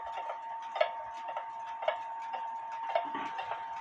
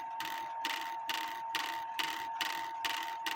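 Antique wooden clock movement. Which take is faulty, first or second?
second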